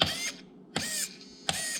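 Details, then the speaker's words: Traxxas TRX4 crawler with a Hobbywing 1080 ESC, BEC raised from 6 V to 7.4 V: three quick crisp high-pitched servo whirs about every three quarters of a second; servos getting more power, normal operation. "so now we're going to upgrade that uh VEC voltage to 7.4 volts so we'll go to item 14 and then set that to number two it's 14. switch it over to two press ok then it's saved so now listen to this pitch of the servos"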